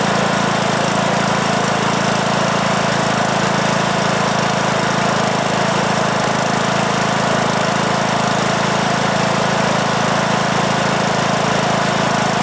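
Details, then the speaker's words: 2003 Simplicity Regent lawn tractor, Briggs & Stratton single-cylinder, stored for years, after new ignition coil and carburetor; steady even beat, no misses or surging, runs smoothly though blowing a lot of smoke. "well that's interesting all right so it it starts very easily and runs okay"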